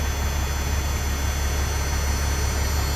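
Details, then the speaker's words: Freightliner FLD, C15 diesel, after an oil and filter change: deep, even rumble at steady low idle with no misfire or knocking and 60 lb oil pressure at idle. Normal idle. "But yeah, I mean, seems pretty good sitting there."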